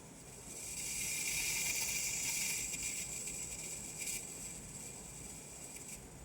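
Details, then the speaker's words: Xtool F1 Ultra: a soft airy hiss swells, holds a few seconds and fades, recurring intermittently while the blue light moves on its own without being touched and returns toward the red light. "It hissed again and it brought it right back over by the red light. So, it's still making the sound."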